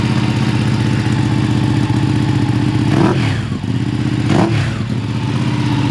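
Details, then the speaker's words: Ducati 959 Panigale twin with a newly installed full titanium Akrapovic exhaust; deep burbling idle with a couple of brief throttle blips, even firing; louder, healthy. "It's definitely louder. It's not like louder when it's idling, but I"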